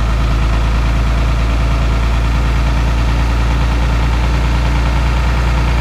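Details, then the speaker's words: VP44 Cummins cold start at -25 in B.C., Canada: a deep, steady diesel rumble at raised idle with an uneven lope, EGTs about 600. Normal cold-start high idle running on three cylinders. "That's that three-cylinder high idle. We're sitting at just about 600 EGTs right now."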